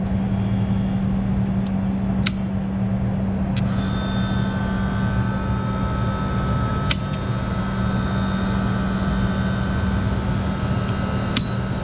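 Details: Old reach-in freezer system on 208V three-phase, restarted section by section after a bad circuit breaker was reset; a shorted drain line heater was also found. Steady low hum with a few sharp relay-like clicks. The condensing unit starts and runs evenly.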